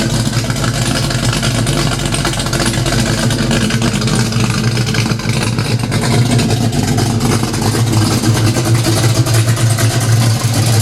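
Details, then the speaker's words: 1970 Pontiac LeMans 455 V8, idling while warming up to temperature, Violator pipes, Turbo 350 transmission on Type F fluid: deep, loud, steady lumpy rumble through the headers, no knocks or leaks; healthy idle. "yeah that sounds good to me no leaks pipes violator pipes sound good motor sounds good get her up to temperature"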